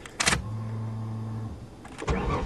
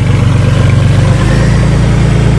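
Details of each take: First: 1994 Ford Taurus wagon: steady fuel pump hum, then about three seconds of rhythmic starter cranking that never catches; engine turns but won't fire because the tank is empty, gas suspected stolen. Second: 1994 Ford Taurus wagon running again after the rusted gas tank fell and unplugged the electric fuel pump, now refitted: deep, steady, even idle with a smooth low drone, no misses, knocks or ticks. Normal idle.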